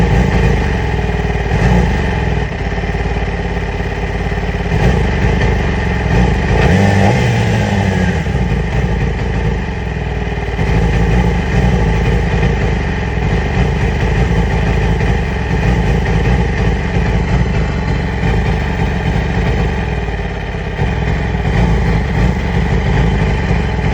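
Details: 2008 Yamaha R6 sport bike: an uneven, stumbling idle with a wavering low exhaust pulse; the owner has ordered new ignition coils and spark plugs and is unsure of the cause.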